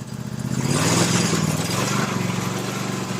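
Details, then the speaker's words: Toro SW 2400 lawn tractor warmed up with rpm increased during a charging test, the tester needle just on the edge of good charging: a small single at higher speed running steady and even; normal. "It takes a little while for it to get warmed up and settle. I'm going to increase the RPM."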